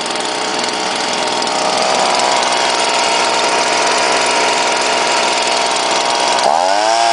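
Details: Leaf blower rated 140 mph, started after priming, holds a steady high buzz at full throttle, clean and even, then drops back; it runs healthy.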